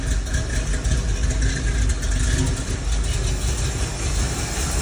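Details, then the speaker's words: Ford Bronco carbureted V8 running again after sitting over 10–11 years on very old gas: steady low rumble, even beat, no ticks or knocks; normal running. "all right well here we are got it running this thing's been sitting for 11 years and uh yeah sounds pretty dang good"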